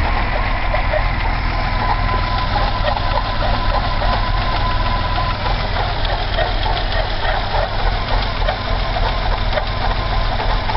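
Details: BMW 320i E30 M20B20 six-cylinder, cold engine, noise appeared after about 100 m of driving rather than at start-up: uneven loping idle about three beats per second with faint squeak over it; cause not pinned down.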